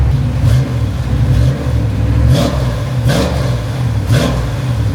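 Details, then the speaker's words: 1954 Chevy pickup V8 with the new Flowmaster mufflers welded and painted. Deep, smooth revs rising and falling about once a second with a clean, even burble; much quieter, with a nice tone. "That's a lot quieter. Much quieter, eh? Sounds good. It sounds real nice. It's got a nice tone to it."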